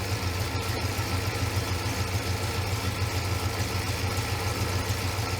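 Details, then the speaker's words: 1970 Pontiac Grand Prix SJ V8 at idle, fitted with headers, oil pressure holding nearly 60 psi. Steady, even, deep exhaust burble with no knocks or ticks. Normal, healthy idle. "It's a little bit louder now that we got headers on it. I think it sounds really nice. Yeah, that's got a nice sound to it."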